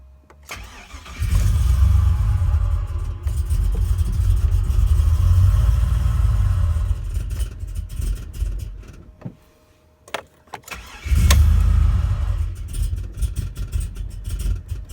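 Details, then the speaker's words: Tuned truck, first start with new computer tuned for larger injectors that aren't installed yet: low, even cranking for several seconds, pause, more cranking, never catches; crank no start from wrong injector scaling. "I had him tuned for the bigger injectors. I didn't put them in yet. So that would be why he does not want to run."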